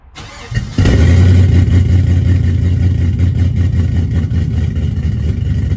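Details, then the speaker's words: 1966 Chevy C10 with LS swap, just fitted with Flowmaster 10 series mufflers replacing Cherry Bombs: starter whirrs, V8 catches into a deep, steady idle burble, no rattles or leaks; exhaust sounds healthy. "now that sounds awesome I'm going to let it warm up here quick a sec and then uh and then we'll give it a couple revs"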